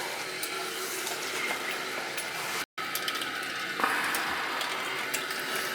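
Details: Old boiler heating system with no heat on the second floor, after rust was cleared from the system: steady rushing hiss of water with light gurgles through the pipes; flow is now strong where it was weak before.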